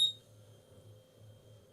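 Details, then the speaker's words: Laptop board MOSFET tested in continuity/ohm mode across its pins: a brief louder chirp, then a steady high beep, with the meter reading about 5.6–5.7 ohms. This is the low reading usually taken to mean a shorted MOSFET. "You can hear the beep, and you can see on the ohm meter you have 5.7 ohms."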